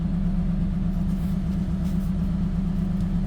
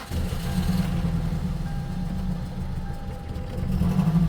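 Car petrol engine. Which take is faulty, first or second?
second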